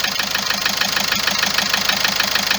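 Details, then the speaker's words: Car that started ticking on this morning's cold start after a trip to Algeria, about four days ago; engine doesn't vibrate: even rapid light metallic ticking over steady idle, constant; owner suspects injectors and tappets, unconfirmed. "المشكله الصوت هذا دائم، ما ينقص ما ينقص ما والو، يقعد كي من هذا."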